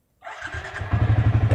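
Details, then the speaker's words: Yamaha Vixion motorcycle after installing an MP two-way alarm (plug-and-play): in neutral with the ignition on and the alarm disarmed, the starter spins and the engine catches cleanly into a steady idle, a normal start. "Nah, sekarang netral dan kontak di on, motor bisa di starter secara normal."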